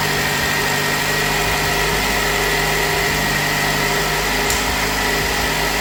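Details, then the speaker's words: Nissan Qashqai first start after engine replacement, previous engine ran out of oil, loud and missing: even steady idle, smooth constant hum, no knocks, ticks or misses; healthy. "That's what we like to hear when we finish an engine change."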